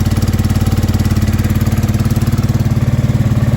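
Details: Honda Deauville NT650V5 after new carburetor rubbers and long cranking: rapid, even pulsing far above normal tickover, still on a lot of choke; idling very fast, timing adjustment expected.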